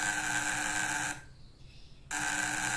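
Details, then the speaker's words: Homemade fishing shocker on about 40 volts, vibrating contact breaker with condenser fitted: harsh, gritty high buzz cutting out for about a second then returning, with large sparks and unstable light. "suaranya kasar teman-teman ya kemudian percikan api di Filipina juga besar teman-temannya percikannya besar teman-teman"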